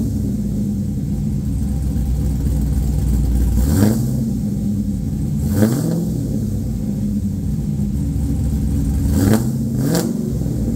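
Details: LQ4 V8 swapped into a 1985 Pontiac Trans Am with a red hot cam, headers and 4in exhaust, on its tenth first-start: deep lumpy burble sweeping up in clean throttle blips and falling back smoothly; normal revving.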